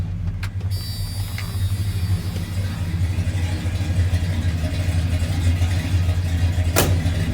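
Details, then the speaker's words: 1986 Ford F250 with 460 big-block V8, just started after sitting four or five days: low smooth even idle, no tapping or misfire; owner says pretty good idle. "she's turned on all levels are marking it's got a pretty good idol i'll let you guys"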